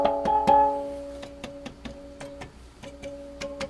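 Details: G.E. Model 254 tube portable radio, restored and in cabinet: plucked-string music comes through clear with no crackle, hum or ringing distortion; playing cleanly.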